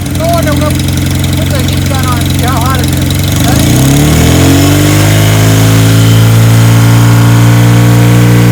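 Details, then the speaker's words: 1977 Kawasaki KZ1000 D6 (Z1) sidecar racer, first start after about 20-25 years stored: cranks, catches around four seconds, settles to steady idle on all four cylinders with an uneven, funky exhaust tone; cause unknown. "the regulator now that we have it running it's just a funky sound of pipe but it is running on four cylinders"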